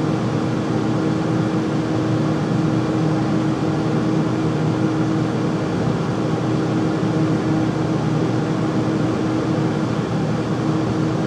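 Loud constant drone with a steady mid hum and no knocking or rattling; the furnace runs noticeably noisy, cause not obvious.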